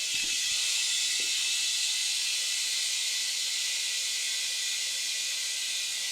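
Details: Kenworth K100 cabover with CAT 3406B, not driven in 25 years, first start; steady high even hiss as air escapes from new air lines while the compressor fills the system, air leaks to find and fix.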